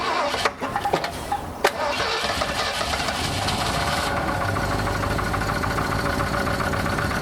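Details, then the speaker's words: 1983 Ford E350 RV V8 after oil replaced coolant in the pan: cranks, catches, settles into a rough, uneven idle with a dull knock; no smoke but low power; engine knock, cause not pinned down. "Still sounds like there's a knock or something, but no smoke is good."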